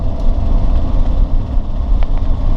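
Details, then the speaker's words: 1978 Ford Mustang II, original 2.8L V6 with 4-speed manual, cruising at about 1400 rpm under light load: a smooth steady low drone with no knocks or misses. It is cruising normally. "As you can tell, cruises down the road just fine. Nice and easy, doesn't have any problems. We're at 1400 RPM and running just fine, not doing anything wrong."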